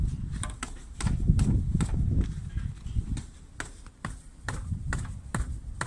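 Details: 2018 Lada Granta FL test drive after lubricating the front brake calipers and guide pins with caliper grease: sharp irregular clacks over bumps; still slight play, but it seems somewhat better.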